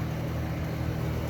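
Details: 1976 Eaton Viking dehumidifier with homemade plywood front panel, running a while and collecting water: steady low hum with soft airflow, no rattles or knocks; compressor and fan running normally.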